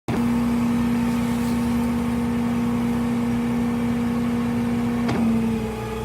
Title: Toyota four runner bad transmission